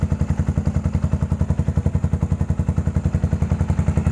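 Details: 2014 Yamaha SR400 single after fuel-tank rust cleanup for stumbling running: crisp, evenly spaced thumps about two per second, steady with no stumbles or skipped beats; normal idle.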